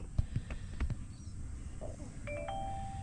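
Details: GWM Cannon after tightening the earth strap and clearing codes: over a low engine rumble, a clear two-note dash warning chime comes in and holds as fault codes return; fix didn't work.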